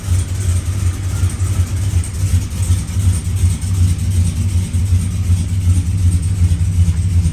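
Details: 2004 Silverado 4.8L Vortec V8, freshly installed Brian Tooley Truck Norris cam, running the stock untuned calibration on first start: a loping, choppy idle with rough rhythmic puffing about three pulses a second, with ticking from exhaust leaks.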